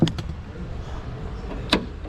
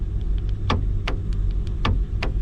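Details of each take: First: Chevy Malibu after trunk latch replacement: a firm clunk then a crisp click about two seconds later, the new trunk latch releasing and catching cleanly. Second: Chevy Malibu trunk latch: short sharp ticks and clicks from the actuator over a low idle rumble when the trunk button is pressed, but the latch never releases; the latch is faulty and gets replaced.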